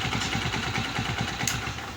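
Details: Honda CG 125 after push rod replacement for noise and poor speed, engine restarted with cover refitted: steady, even single-cylinder thump with no knocking; now idling smoothly, though a slight remaining noise was mentioned.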